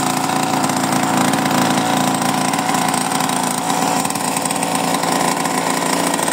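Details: Mini bike engine first started after 30 years in a barn, fitted with new spark plug and cleaned carburetor: busy, steady small-engine chatter at even speed without misses or surging, running properly.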